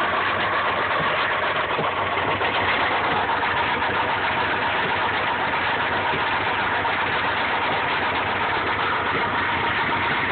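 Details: 1995 Subaru Impreza idling: dull rhythmic knock from bottom end keeping time with engine, rod knock from worn rod bearing, persisting after oil change and additives.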